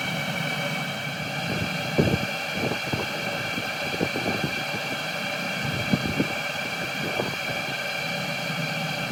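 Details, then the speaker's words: Cheap Chinese 12 V diesel heater on a steady 11.5 V supply from lithium batteries, burning and giving heat; small air bubbles in the diesel pipe. Steady high fan whir with soft irregular fuel-pump ticks; burning evenly, normal. "we have now got eleven and a half volts continually to the actual diesel heater and it's burning i'm getting heat out of it at last"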